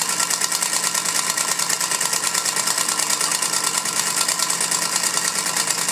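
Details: Singer Featherweight sewing machine test stitching after cleaning and oiling, which cured its earlier squeaks: a sharp clunk on every stitch, about two per second, over a light whirring drive; loud clunking from the bobbin area, cause unknown.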